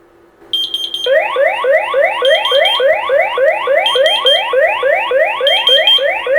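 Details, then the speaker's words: X-Sense Wi-Fi water leak detector sensor set in a lid of water sounds a shrill alarm of rapid rising chirps with a steady high beep; silenceable from the phone. "Okay, it beeps here."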